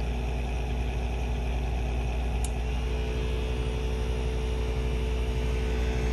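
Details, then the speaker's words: Acer Nitro 5 laptop cooling fan at idle: steady low rumble with faint even hum that grows louder as fan rpm rises; caused by the fan's four wires touching the blade. "two the obvious one would be noise such as this it sounds like a small rumble when the pc is idle as soon as the rpms pick up it starts to get louder and more noticeable"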